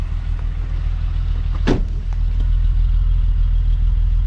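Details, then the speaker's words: 2001 US-spec VW Jetta VR6 wagon (12-valve) idling with the hood open: a steady, even low rumble with no knocks or misses and one thump midway; normal smooth idle. "Sounds smooth though."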